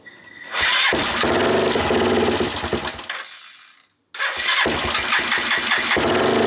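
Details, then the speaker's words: Suzuki GN250 single-cylinder after starting: fast, uneven idle with light top-end ticking, changed from crunchy to ticking; suspected valve clearances (cam chain or tensioner also considered), clearances to be rechecked. "it's really tiggly so the tickly tongue noise continues i guess it changed a little bit it's now more ticking noise than crunchy noise so i guess the valves are in some sort of roll here"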